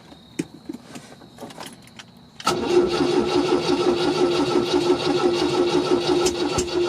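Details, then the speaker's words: 1974 MGB freshly rebuilt engine, first start on choke with little coolant after slow cranking: irregular sharp pops over a ragged idle, backfiring out the intake and exhaust; owner suspects flooding from cranking without spark or an exhaust leak, not confirmed. "i can see it's back firing out the intake could be an exhaust leak it is backflying out the exhaust a lot which i could have flooded it before when i was cranking it without any spa"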